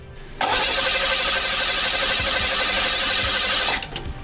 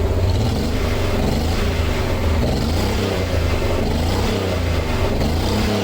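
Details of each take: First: 1986 Pontiac Fiero GT crank no start: even, fast cranking for about three seconds that never fires, no spark at coil or cap even after replacing ignition module, cap, coil and MAP sensor; the new ignition coil tested faulty with a multimeter. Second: 1986 Pontiac Fiero GT, old and rotting, running after first start and left running a while: steady deep engine drone, revs rising and falling smoothly, picking up cleanly; it later drove rough. Normal running.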